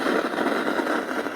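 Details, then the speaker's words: Unbranded assembled Bluetooth tower home-theatre speaker. When switched on it gives only a steady rough crackle and hiss with no other audio. "देखिए जब हम कभी इसको चालू करते हैं तो यह जो होम टेटर है इसका खाली खरखर आवाज जाता है बाकी दूसरा आवाज नहीं आता इसके अंदर"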